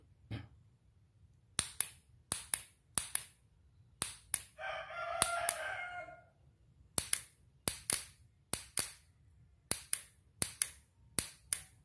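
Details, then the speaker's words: Motorcycle starter relay (bendik) bench test on a healthy 12 V battery: crisp single clicks at irregular half- to one-second gaps, rooster behind; solenoid magnet actively pulls in, though current reaching the starter motor still unverified. "Bunyi ya Mas Bro ya, cek bahwa di sistem kemagnetan dari bendik starter ini dia aktif karena dia teraliri arus 12 volt."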